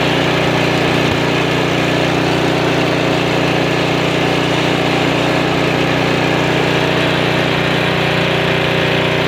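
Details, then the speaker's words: Snowblower engine just after replacing the carburetor (part 640084B) with a new one: steady, even small-engine drone at constant speed with no surging, stumbling or misses. Normal running after repair. "Well, that's very satisfying. New carburetor, $12, postage paid, an hour of time,"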